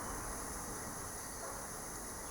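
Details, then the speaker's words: Safety valve on a pressurized air tank slowly releasing air. A constant sharp hiss with a faint high whistle holds steady throughout. "That hissing that you can hear, by the way, There's a safety valve in there that slowly releases air. Once it hits pressure, it will release air even faster."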